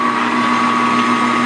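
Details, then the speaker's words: Grizzly G4003 lathe after fixing a loose belt pulley that caused rattling, belts reinstalled, at higher rpm. Smooth, even whir, steady tone, no rattle or knock; quieter than ever. "a lot better than it ever did we must score - ah a little bit higher rpm let's go mm oh yes yes yes yes yes I like it it's quieter"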